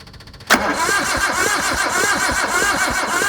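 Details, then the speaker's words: Suzuki Samurai SJ413 that had been standing for years and never ran right: the starter cranks evenly at four to five beats per second with no firing at all; checking confirmed there is no spark, not even a weak one. "Ah, okay, there's no spark at all. It doesn't even, there's not even a weak spark."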